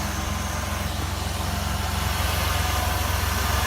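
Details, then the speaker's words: 2003 Jeep Liberty 3.7L V6 donor engine, running before removal from a Jeep with a bad transmission: even idle with a steady low pulse, no ticking, knocking or misfire. Normal idle. "it's running good but this jeep has a bad transmission so can i just harvest simply just harvesting the engine and you can tell it sounds great"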